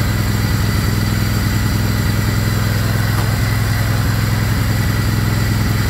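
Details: Craftsman GT riding mower (model 917.258873) with 18.5 hp Kohler CV18S 624cc V-twin, after carburetor replacement (long a hard starter), air filter off, jumper pack on low battery: deep, even V-twin thrum at steady speed, no misses or knocks; normal running.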